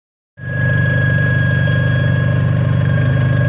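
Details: 2005 Renault Clio 1.6 16v K4M engine running: fast even light ticking over idle with thin high whine from top of engine; cause unknown.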